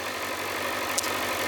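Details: 2007 Kawasaki ZZR600, carbureted DOHC inline four, warm idle just after the choke is pulled off. Smooth, steady idle with even firing and no knocks or hunting. Normal warm idle.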